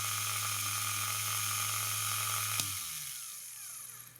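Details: Vintage AC/DC universal motor for an Elson watchmaker's lathe, rewired and rebuilt, restarting after brushes were reseated: smooth, even high whine over a steady hum, no sparking crackle, then switch-off and wind-down; running normally.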